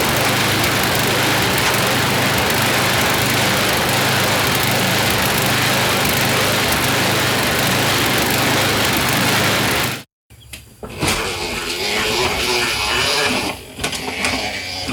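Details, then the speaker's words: YardMan snowblower single-cylinder engine test-run after an auger belt fix. Buzzes fast and high, a touch uneven, before shutting off. Speed is set a bit too high and needs throttle pulled back; also slightly stumbly, idle circuit may need checking. "It's running a little too high, so we're going to pull a little throttle out of it because that's just a bit too high."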